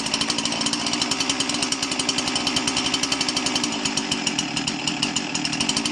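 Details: Husqvarna 346XP chainsaw running poorly: a high, rapid buzzing rasp surges rather than holding steady. This is an air leak at the cylinder base gasket caused by loose cylinder screws. The gasket is to be replaced.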